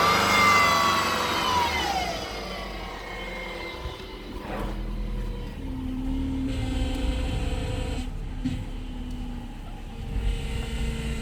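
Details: 2007 Subaru Impreza: thin whine above the engine dropping in pitch as revs fall, whining power steering pump.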